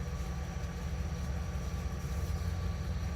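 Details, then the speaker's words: 1971 GMC Camper Special 3/4-ton V8, first start after 18+ years off the road, new wiring, fuel fed by hand: deep, lumpy idle with loping beat and dropped pulses, shaking; not running on all eight, cause unconfirmed. "Oh, what was that noise? It's not running on all 8, that's for sure."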